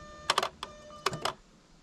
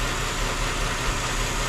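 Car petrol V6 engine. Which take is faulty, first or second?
second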